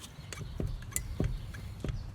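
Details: 2002 Pontiac Grand Am GT jacked up, wheel rocked at 12/6 and 9/3: dull clunks with sharper clicks from hub play, caused by axle nuts torqued to only 135 and 145 ft-lbs instead of 173.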